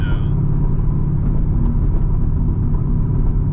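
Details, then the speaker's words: Modified 2008 Chevrolet Corvette, about 22k miles when bought; deep steady low boom in the cabin at light cruise around 2000 rpm, exhaust drone, less bad on the highway. "yeah, as I was telling you earlier, like the drone, definitely drone, but like as you were saying on the highway, it's not as much."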